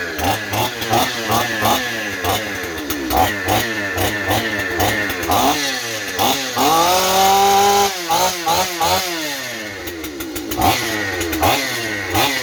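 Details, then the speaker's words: Stihl 028 chainsaw with blowback, after new crankshaft seals and a carburetor rebuild: revs shoot up and hang high in uneven bursts, running away; owner suspects an air leak at high rpm, possibly behind the carburetor or intake boot, or the carburetor itself. "the problem is as you can hear the saw wants to run away and so that means that high RPMs it's starting to suck air somewhere and it can't get tuned in right"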